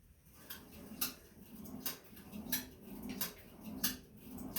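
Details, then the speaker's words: Sunny SF-E3911 cardio climber: a sharp click on every step, about every 0.7 s, over soft stepping thuds, now on both sides and getting worse. "it's clicking. And it's doing it more. It's doing it on both sides now."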